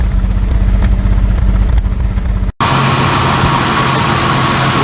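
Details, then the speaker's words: Jaguar Series 3 V12 barn find, running after fuel tank rust work and new sender: lumpy idle with irregular stumbles; missing on both tanks, all injectors click, spark plugs may need pulling. "Definitely missing a bit. I've got a miss on both tanks."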